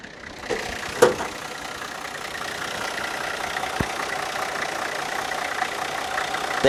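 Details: 1985 Cadillac Sedan DeVille with transverse 4.3L V6 diesel, already warmed after cold start, runs and drives great; fires quickly and settles into steady even diesel idle, no knocks or misses; normal diesel idle.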